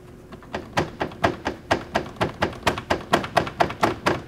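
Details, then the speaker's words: 2015 Land Rover Discovery Sport, front passenger side, at road speed: hollow even thunks about two per second, starting near 50 mph and worsening at 60–70; plastic underbody cover panel not fully attached, not turbo or tires. "you're going down the road, around 50 miles an hour, this noise starts coming in, and it gets worse as you get to 60 or 70. All it was a plastic panel, a cover panel, that wasn't fully attached."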